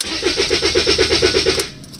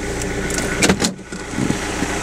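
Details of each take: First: Rover 75 CDT diesel after a fuel system and filter service: steady cranking with no firing, since no fuel is coming through the supposedly self-priming system; the owner hopes the new filter is okay. The car was later started. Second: Rover 75 CDT diesel after fuel system service, in park: turns over, catches after a couple of seconds and settles into a steady, even idle with no knocks or misses; normal idle.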